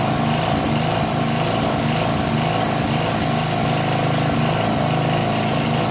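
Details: Northern Hydraulics pressure washer, Briggs 3.5 hp engine with vacuum fuel reservoir, no primer, unused 8 years; after starter fluid start and unclogging rusted wand tip, steady even engine note with constant hiss, no misses; runs normally, pressure weak, gun or pump suspected.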